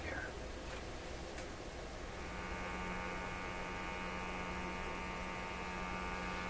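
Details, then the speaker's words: Sweep generator set to sweep the band every 10 milliseconds, picked up on an RTL-SDR receiver while checking a radio with a substituted antenna coil; hiss then steady low buzz with even overtones; sweep generator buzz. "And I'm sure that buzz is the sweep generator sweeping. I've got it going 10 milliseconds to sweep across the band."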